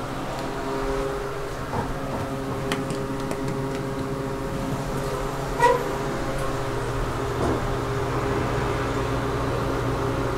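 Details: KONE hydraulic elevator, 2500 lb capacity, 5 stops, recorded in the cab: steady hum with fixed droning tones throughout the ride; noisy cab ventilation fan.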